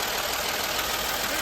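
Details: 1959 Chevy truck idling: steady even idle with a hissy upper edge, no ticking or knocking; this old engine sounds healthy.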